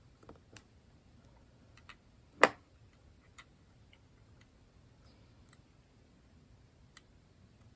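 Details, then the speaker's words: Swiss Army 7290XZ wristwatch after a new 377/376 battery was fitted; faint, sharp ticks about once a second in a quiet room, with one louder handling click. Normal ticking. "you can hear it ticking again which is great so we just got our new battery installed"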